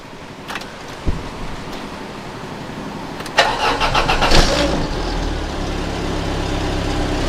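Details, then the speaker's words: Volvo 480 after CEM replacement: short bump, cranks, catches and settles to a steady even idle with no belt flap; a slight exhaust leak remains from a failed joint repair, normal idle. "be idling nicely there no belt flap on there which is looking good"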